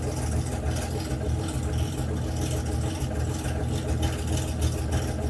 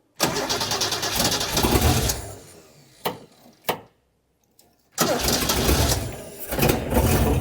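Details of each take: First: Debonair engine during restoration, running with choke applied; steady, even low rumble with no misses, knocks or hunting, best it has ever run. Normal running. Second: Engine restoration, battery clips tightened and jump pack connected: engine catches and runs ragged for two seconds, dies with a couple of pops, then restarts unevenly; mixture likely needs adjusting, slight fuel leak noted.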